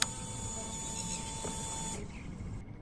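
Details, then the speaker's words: Motorcycle (R7) in neutral with clutch pulled, kill switch turned on before starting: a steady high electric whir for about two seconds, then a clean cutoff; normal fuel pump prime. "when I hit this red button it's going to allow gas it's going to allow fuel to go into the engine so that when I hit the ignition button down here the bike will start so I'm going to hit this button you're going to hear the fuel come"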